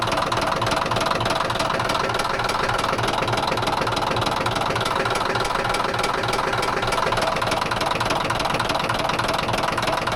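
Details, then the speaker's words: Caterpillar D9H dozer diesel at idle: heavy, steady rattling knock about three per second from the engine; rattles badly, cause unknown. "Do you want to hear this thing rattle? It rattles bad."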